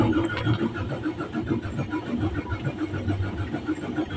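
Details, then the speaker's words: Mitsubishi 6M70 double-EGR diesel with single-EGR rail pressure and injector design: steady, uneven cranking pulses about two a second that never catch, though it starts with contact cleaner; hard start, long cranking from low rail pressure caused by a faulty rail pressure limiter. "Ito yung problema niya mga ka-desel. Hard start siya mga ka-resel."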